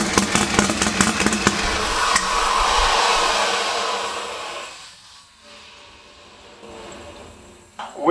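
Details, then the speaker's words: First start of a Lamborghini Huracán fitted with a 1500 hp Texas Speed LS V8: uneven, stumbling firing, then the engine fades out. It runs about 5° out; the timing had earlier been checked as correct, and Haltech then pointed out the setup error. "il fonctionne avec un décalage d'environ 5°gr. Absolument horrible à regarder."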